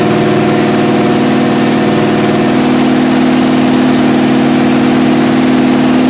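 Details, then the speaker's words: 1981 Trans Am that sat for years, first start on six-year-old gas after an earlier carb fire. Steady, even idle with a smooth low pulse, no valve-train noise, no knocking and no smoke: normal idle. "Sound for as long as it's been sitting. Yeah, fire. It didn't really put up a fight. No valve train noise. No smoking out the back."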